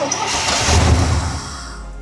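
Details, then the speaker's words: IROC-Z Camaro V8, 18,000 original miles, sat 30 years, fresh fuel added: fires on crank and stumbles with lumpy uneven pulses before fading; banks not getting fuel, suspected only some injectors working, injectors to be replaced; misfire. "It seems like a couple banks aren't getting fuel. >> Yeah, this is something very similar to what I ran into. And it turns out that only three out of the eight injectors were actually working."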